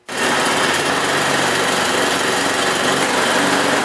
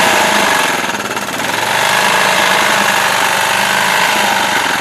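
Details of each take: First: Used snowblower transmission test: engine started and held while the wheels spin on the ground, steady even small-engine buzz with no slipping, grinding or bogging; transmission, belts and drive in good condition. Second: Used snowblower engine running with sharp, rapid metallic knocking of about three or four a second over the small-engine clatter. Internal engine knock, possibly a loose connecting rod on the crank, not confirmed.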